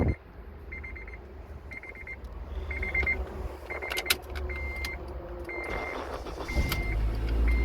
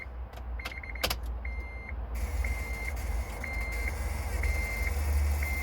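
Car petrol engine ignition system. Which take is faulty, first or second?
second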